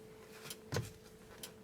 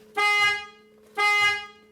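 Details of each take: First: Mercedes/Dodge Sprinter with a horn that doesn't sound; soft single clicks about once a second each time the horn switch is pressed. The horn relay is energized, so the switch and the wiring to the relay are good. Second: Mercedes/Dodge Sprinter with key on, after replacing the faulty horn (the circuit tested good): three short, bright, clean horn blasts about a second apart. The horn now works as it should.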